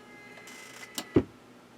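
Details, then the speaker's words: Amiga 600 secondhand unit, kickstart 3.1 ROM, first power-on with no software on the hard drive: a couple of sharp clicks and a short clunk as the floppy drive head seeks, trying for disk access, which is normal. "we have disk access it's trying to access the hard drive but there's nothing on it floppy disk is flopping"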